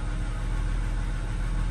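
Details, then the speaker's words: Ford BF XR6 Barra with engine sludge and P1381 VVT codes, after fixing pinched wires under rocker cover: smooth, even low idle, earlier knocking noise gone, check-engine light on; noisy pulley remains. "so let's start it and the noise is gone and it's revving smoothly we've got engine light but we can scan for that"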